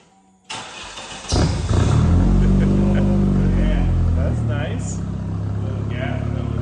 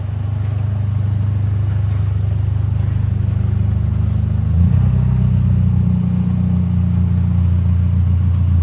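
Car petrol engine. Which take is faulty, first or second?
second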